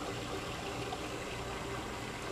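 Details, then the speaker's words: Old GE Monitor Top CK-2-C16 refrigerator, motor drawing 262 watts: steady soft trickling, bubbling hiss of refrigerant boiling in the evaporator, mist falling off; owner suspects possible overcharge since a line is sweating; cooling normally. "You can hear the refrigerant boiling in there. Probably see some mist coming off of it."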